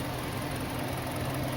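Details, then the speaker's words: Kia Sportage 2.0 G4KD engine after repair of piston knock, first start: steady, even idle with a soft smooth whir and no knocking. Piston knock gone. "собрал готов к пуску и уже послушаем Как же он сейчас будет работать стук поршней не слышно работает Ровно"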